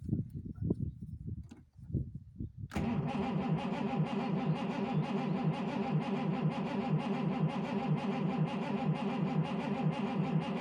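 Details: 219 that won't start on its second day home: the starter cranks steadily with even compression pulses but the engine never catches, because the petrol pump isn't feeding petrol. Crank, no start, no fuel delivery.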